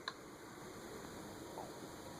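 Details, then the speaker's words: Emerson Tristar "Air Design" ceiling fan on low speed: only a soft, steady airy hum with no ticking, rumble or grinding; bearing noise, audible on medium and high, is not yet noticeable on low. "So far the bearing noise isn't noticeable on low, which you'll hear right now."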